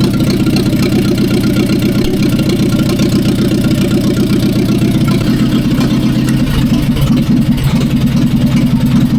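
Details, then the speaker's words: 1945/46 Allis Chalmers Model B tractor with magneto ignition, parked in a barn 20 years: steady, even low putter at idle with no knocks, misses or rattles. Running sweet. "Oh, that sounds pretty good. It's running sweet now."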